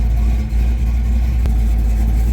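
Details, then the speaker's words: Big block Chevy V8 in a Chevelle with 700R4 transmission, freshly rebuilt by the owner after four years off the road, on its first test drive: deep, steady rumble under light throttle with no knock or tick; motor sounds healthy. "The motor, it sounds healthy and it sounds happy."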